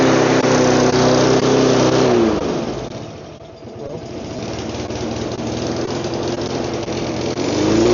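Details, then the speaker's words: Neglected mower after repair with fresh fuel, still needing an oil change and air filter cover; the engine drones, dips and bogs, then picks back up; owner thinks leftover old fuel mixture may be partly to blame. "It runs. There's still a few things it could use, like an oil change."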